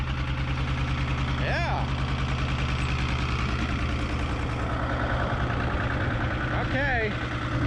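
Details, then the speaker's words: 1975 Chevy diesel stepside pickup, revived after sitting 32 years, running with no mufflers: loud, steady diesel clatter at a fast even pace; idle set too high and needs adjusting down. "that is loud way too loud let's see if we can adjust that idle down a little bit"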